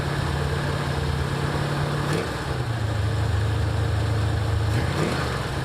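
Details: 1984 Ford Mustang GT350 just after a starter replacement, first start with choke on: steady warm-up idle with a low, even rumble that dips briefly then recovers; nothing abnormal here, though the owner then notes an audible leak from the head.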